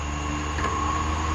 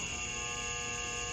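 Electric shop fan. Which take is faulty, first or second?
second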